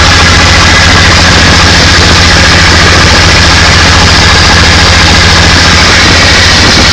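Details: Studebaker Hercules engine after rebuild: loud, steady low idle with an even, unbroken beat, no knocks or misses; engine runs healthy.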